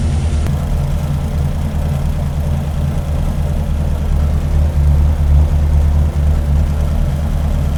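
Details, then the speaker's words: 528 Hemi V8 with aluminum heads, double springs and electronic distributor, idling at 900–950 rpm with 15–16 in of vacuum expected: steady, deep lumpy rumble with no knocks or misses. "Let's put this on idle. If you guys take a look, we should have 15, 16 inches of vacuum at less RPM. Let me bring it to 900, 950."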